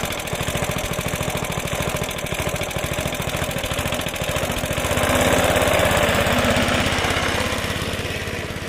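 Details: Suffolk Punch mower, small single-cylinder, after fixing the locked drive that would not disengage: steady even beat about three and a half firings a second, pulling cleanly under cutting load; drive works and disengages properly.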